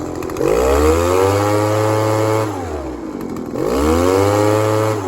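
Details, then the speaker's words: Echo ES-1000 two-stroke blower, previously over-oiled with the wrong mix and not starting, repaired and carb tuned slightly rich but not four-stroking: two clean rev-ups from idle to a steady scream and back, with no stumble. "you turn that till you get the max RPM at idle, and then you turn your high speed so you get a nice transition and you get a decent RPM coming out of it. I go a little bit rich, but not to where it's four-stroking."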